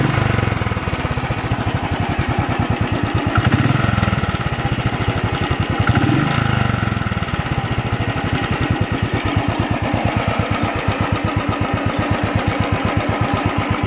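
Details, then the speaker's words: Royal Enfield single revved 1,487 km after tappet rods and hydraulic unit were replaced; fast, even ticking over the thump quickens with revs, owner says the rocker arm is beating and expects it to be tightened. "My noise is coming from here, the rocker arm doing just the beating."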